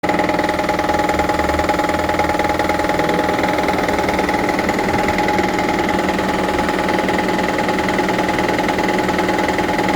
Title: Toyota Prius 2009 Gen 2 Engine Noise. Noise after Engine swap. What is this?